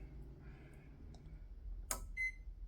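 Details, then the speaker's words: Microwave powered by a BLUETTI Elite 100 V2 power station during a simulated outage: quiet room, a click, then one clear high beep; microwave powering up normally with the fridge also running. "You heard the microwave come on. And now the fridge has power."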